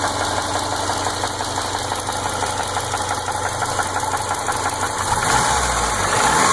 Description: Ticking noise that doesn't go away, worse when cold. Runs and drives fine. Listening to the constant tick gets annoying.